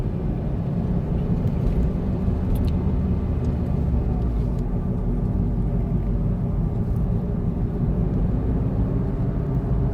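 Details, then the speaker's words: 2005 Smart ForFour, an 11–12-year learner car, coasting downhill at about 25 mph: deep steady droning hum, unaffected by throttle or braking, normally heard above 40 mph. Cause is a worn front wheel bearing. "And sometimes actually the humming noise actually makes my ears pop."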